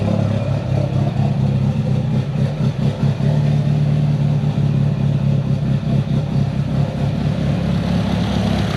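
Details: Built Mitsubishi Evo 8 with Kelford 272 cams, after replacing the failed IAC with a 2000-up Eclipse unit and retuning with more fuel. A deep, choppy, irregularly rising-and-falling lope at idle: the intended big-cam idle.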